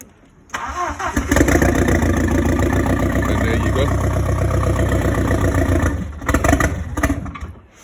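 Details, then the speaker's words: Audi 80 cabriolet converted to a 1.8T AEB engine, first start on the modified ECU after fitting the wiring loom, fuel pump heard priming: short crank, catches at once and settles into a steady, even run with a brief rev. "Oh, so it's running. Give it some chance. I'll make it run on its own."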